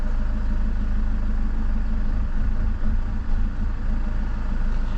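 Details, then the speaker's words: 2007 BMW 520d E60, M47 diesel, idling after start: revs unevenly, dropping and recovering, stalls by itself and accelerates very hard at times; fault stored as boost pressure sensor, but the EGR valve proved to be the cause of the rough idle. "It's starting and it's sometimes the engine it dies by itself. It's accelerating very hard sometimes."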